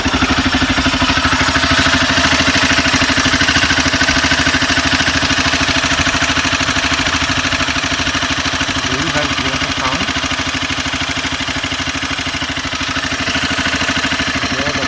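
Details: Honda CBR 250R single-cylinder at idle: light fast metallic rattle over steady engine beat, owner suspects loose timing chain needing tensioner adjustment, before tightening.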